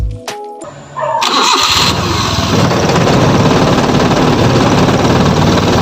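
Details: F6A engine, in a hard-starting fix: a short crank, then the engine catches at once and settles into a steady, even run with music faint behind; starts cleanly.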